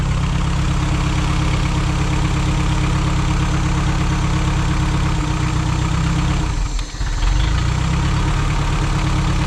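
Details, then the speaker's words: 1987 Toyota 4Runner after an engine rebuild: a deep, steady idle with a slight stumble near the end, and it could be killed by adjusting the distributor. Ignition timing is suspected to be retarded about one tooth, with the fix being to reinstall the distributor one tooth over. "I think I need to adjust this one tooth. You're not supposed to be able to kill it by doing that."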